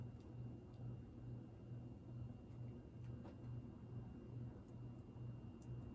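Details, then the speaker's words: 52-inch GE AirCool ceiling fan, original five-light kit, garage-mounted, medium speed: quiet soft hum with gentle regular blade pulse; slight buzzing the owner thinks is a light bulb, not the motor; normal running. "but it is pretty quiet very slight humming and i think the buzzing part sound might be one of the light bulbs because the buzzing sound is obviously not the motor"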